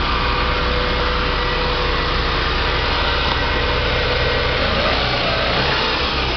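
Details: Palio Adventure with a flat battery, started after charging; engine settles into an even, steady idle with no misses, knocks or hunting, running cleanly.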